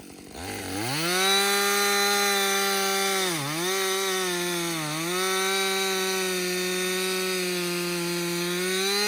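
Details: Husqvarna 562XP chainsaw, hot after an extended cutting session following a Husqvarna-advised reflash for hot-dying and stumbling. Strong steady two-stroke howl dips briefly as the chain bites the wood and recovers cleanly, pulling evenly. The owner says it is running its best ever. Healthy running under load.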